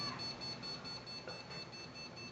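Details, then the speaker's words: New PC build powered up on an Antec 900W power supply with no RAM installed: high-pitched short beeps repeat steadily over soft fan whoosh; motherboard memory error beep, fans running. "fans are running but it won't let me do any of these LEDs yet now if we can one thing you can look at yes I know it's beeping there it goes"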